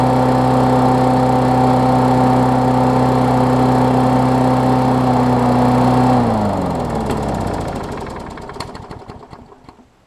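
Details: Briggs Classic engine swapped onto a Bolens push-mower deck, running during a test of a newly wired ground kill switch (the plastic frame later proves to block the ground): smooth, even steady speed for six seconds, then clean wind-down and stop at shutoff.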